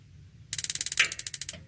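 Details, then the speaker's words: Modena magnet-type gas water heater, being repaired for no igniter sound: quick run of sharp ticks about thirteen a second with one heavier click as the gas valve opens and closes, normal gas valve and igniter operation. "Nah, itu pendengaran ya. Melatih pendengaran."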